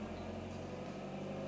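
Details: VW Golf MK3 GL (German) after idle actuator replacement and adjustment: smooth, even hum under gentle part throttle with no stumble or cutting; it previously cut out and wouldn't accelerate at light throttle.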